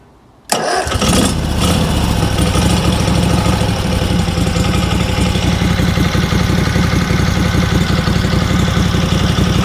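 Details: Small air-cooled engine restarted after fuel system and carburetor service (it ran fine before disassembly); fires on the first pull and settles into a strong, even, steady beat with no misses or surging: normal start and running.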